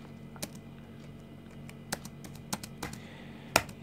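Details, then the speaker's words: Healthy laptop keys pressed at random on a used, previously owned laptop: about six crisp, light clicks with no crunch or sticking, for comparison with crunchy, tight keys. "вот послушайте как работают нормальные кнопки рандомно просто вот любые кнопки"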